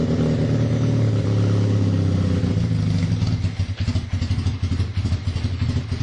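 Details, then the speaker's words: KZ440 single-carb motorcycle after carb pilot cleaning and air/fuel screw adjustment: steady rev then sags into uneven, stumbling firing. Still leaning a bit; the owner tries another turn on the idle circuit and later decides on a larger main jet. "still leaning a bit that's not gonna help"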